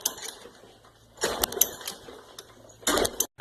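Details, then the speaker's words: Craftsman Easy Walk push mower, Briggs & Stratton 6.5 HP engine, hard to start or no start: two short rasping starter-rope pulls fading with no firing; cranks but won't start, fresh fuel added, fires with starting fluid. "the back story on this is it's hard to start or sometimes it doesn't start at all try and give it a start see if it starts"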